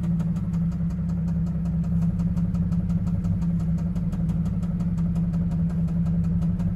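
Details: Cadillac CTS 3.6L V6 idling: fast, even, light ticking about five a second from the top end; suspected lifter/camshaft valvetrain problem, to be replaced.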